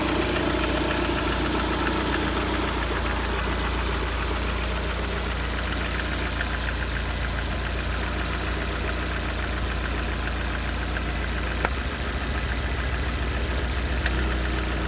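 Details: Lada Kalina 1.4 petrol at 70 °C coolant, idle: a faint, regular tapping knock about three times a second over the engine note; the source is unclear and the owner wonders whether it needs an overhaul or can keep running.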